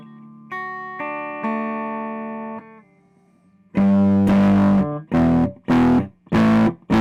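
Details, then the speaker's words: Fender Blues Deluxe guitar amp on the clean channel, first power-up after repairs: picked notes fairly true but low strummed notes fuzz and break up harshly with little body; output-stage fault suspected, not confirmed. "And you notice how the high notes have a sort of weird thing going on with them, and low just has no guts and it wants to break up."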